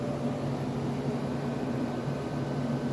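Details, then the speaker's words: Dirty Fedders window air conditioner, compressor drawing about 10 amps, restarted on another circuit after tripping breaker with heavy inrush; steady low compressor hum with soft even refrigerant hiss; normal running. "I already hear that refrigerant flowing so that's pretty cool but wow that was quite the inrush"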